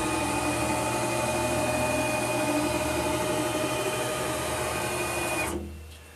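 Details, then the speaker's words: PM-940 CNC mill X axis with 4.5 Nm 640 oz closed-loop stepper on 60 VAC: steady motor hum with a clean high tone for about five seconds, then it stops; smooth, healthy travel before a 250 in/min run. "so that's working fine i'm going to go ahead and do 200 now"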